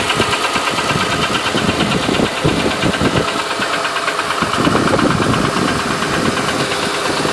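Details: 2008 Honda Ridgeline V6 at idle: an uneven ticking of roughly three per second sits on top of the engine sound, a noticeable top-end tick with its source not identified.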